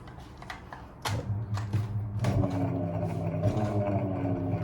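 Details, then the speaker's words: Old Soviet three-phase bench grinder motor, wires torn off capacitors, spun by hand at power-on: steady low electrical hum, shaft never spins up; fails to start with start capacitor disconnected. "Ну вот, видите, не идёт. Выключаем. Сейчас будем разбирать. Думал, может быть, запустится. Не хочет."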